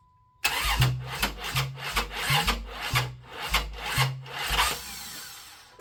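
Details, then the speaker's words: 1995 Plymouth Voyager 3.0 V6 after timing work: starter cranks in steady churn with uneven catches but never starts; timing suspected wrong, battery possibly weak. "Sounds like timing's wrong. What did I do wrong? Or the battery's dead. Or both."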